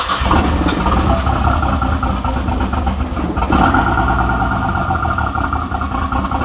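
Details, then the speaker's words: Nissan RB30E in an R31 Skyline after a rebuild, barely running after distributor cap points were cleaned: uneven, lumpy, wavering beat that misfires and won't settle or stay idling; rough running, cause not yet known. "I did get it running it is running not very well and still doesn't want to stay idling not hundred cents sure why but anyway it is running"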